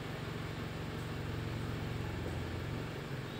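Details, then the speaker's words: 2003 Toyota Vios idling with AC on, before carbon-cleaning treatment; owner reports knocking, sluggishness, unstable rpm, heavy pull: low, uneven lumpy idle rumble under AC load; engine shakes and runs rough. "Ini kondisi hidup AC, dia terasa geter"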